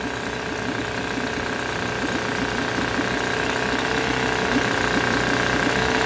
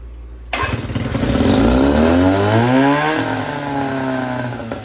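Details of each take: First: 1972 Johnson 6R-72D 6 hp two-stroke outboard, said to need an impeller, barely moving water, tried in gear: fast, slightly uneven buzz that hangs high and won't idle down; owner later suspects something needs cleaning, unconfirmed. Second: 1972 Johnson 6R-72D 6 hp two-stroke tiller outboard, carb primed with a gas/two-stroke oil mix by spray bottle: catches on the first pull, revs up with a rising buzzy note, then settles into a steady run; normal start.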